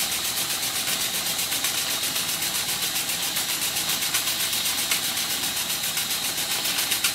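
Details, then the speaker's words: Circa-1896 model steam engine on live steam from a boiler, deliberately run at very high speed; fast, even chuff about four beats a second with hiss of steam leaking at the dummy piston rod gland; normal running. "I'm purposely running this engine at a very high speed"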